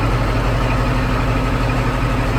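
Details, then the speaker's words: Caterpillar D11 dozer diesel that wouldn't start, 24-volt two-battery system with a suspected battery charge imbalance, idling just after starting: deep, steady rumble, even low throb, no misses or knocks; normal idle. "She's alive."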